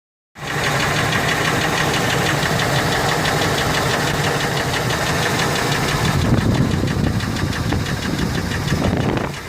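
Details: Ford F150 4.6 two-valve V8 running with a loose, uneven knock about four per second from the bottom end; first thought lash adjusters but ruled out, rod bearings suspected, owner also wonders if it comes from the clutch.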